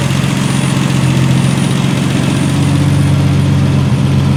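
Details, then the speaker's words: 1976 Triumph TR6 six-cylinder idling smoothly with a steady low drone, no misfires, stumbles or knocking, left to run out of fuel after its first start; engine runs really well, normal idle. "that engine runs really well"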